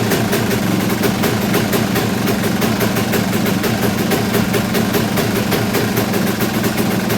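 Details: Kawasaki KX250 two-stroke after reassembly, no longer bogging: busy, fast idle with steady buzzy beat and slightly lumpy, burbling note that doesn't sound quite clean; still needs carb tuning, owner suspects it's running rich.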